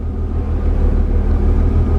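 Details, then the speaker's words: Mercedes W201 190E, new central locking/orthopaedic seat vacuum pump (A1248002848) inflating the seat back; even, low droning hum holding steady, pump running smoothly, slight hissing possible; normal operation. "So I'm going to pump that all the way up. You might hear that actually hissing."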